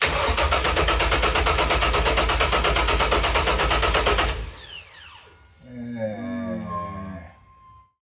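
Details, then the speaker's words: Rebuilt LS1 V8 from 2001 Holden SS Commodore, with choppy Crow cam, swapped into 1978 Chevrolet C3 Corvette, first start: cranks about three turns a second with no firing. Crank sensor plug was on the wrong 3-pin sensor, so no crank signal reached the PCM. "So when we were trying to start it, the crank sensor plug was in the wrong sensor, so it was sending no crank signal to the PCM. So the PCM had no idea the engine was turning. So that's why it wasn't firing."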